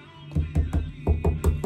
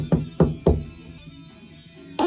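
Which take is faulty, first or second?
second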